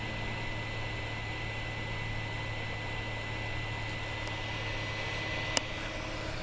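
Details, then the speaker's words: 2008 iMac, room about 69°F, one Safari window, all fans already replaced: goes within seconds of waking from sleep to constant airy rush with faint steady whine and low hum; fans stuck at full speed, cause unknown. "As you can see, the computer went from a standstill to full-blown fan noise within seconds of startup, or at least from coming back from sleep."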